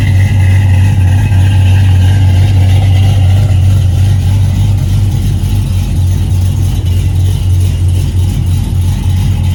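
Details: Cadillac CTS-V V8 with newly connected exhaust, still untuned, idling with an uneven choppy lope and some rev blips.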